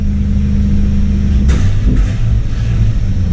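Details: Jeep Cherokee revived after sitting, with the computer reset several times, pedal floored under load. It labours and stumbles with an uneven low rumble and a brief kick. Rough running under full throttle; timing is suspected to be off.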